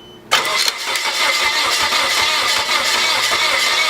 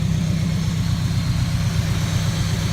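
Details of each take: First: Junkyard Nissan 240SX unstarted for two and a half years, cranked with intake and MAF disconnected: fast, even four-second cranking whir that never fires, then the starter winds down; no-start likely from the unconnected intake. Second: Rebuilt junkyard Nissan 240SX (S14), first start-up after replacing blown EGI fuse: steady, even low idle with smooth rumble, no knocks, ticks or belt squeal; healthy.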